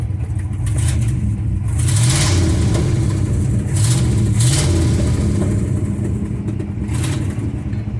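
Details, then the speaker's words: 1964 Ford F100 V8, tired and just started: lumpy irregular idle and blips with puffing, uneven exhaust beat; engine missing, with big exhaust leaks, possibly at the heads. "you can hear it missing we've got an exhaust leak here"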